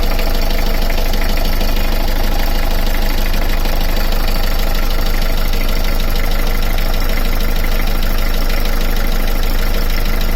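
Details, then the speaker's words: Beta 38 diesel narrowboat engine after the belt was refitted, checking for an earlier tapping and rattling noise: steady, even idle with a smooth low thrum. No tapping or rattle; the noise has stopped. "Make sure it's all right down there. Yeah. No, that's all right. I'm going to put that other belt back on again and then try that. Noise has stopped now."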